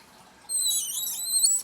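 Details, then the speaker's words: RV Flair-It plumbing fitting being tightened with a groove-gripping tool or channel locks. A brief high, thin squeak as the fitting snugs down, which is a good, normal sign of proper seating. Do not over-tighten. "but it goes in and it grabs this groove and then you just tighten it up if you listen you'll hear it squeaking that's a good noise"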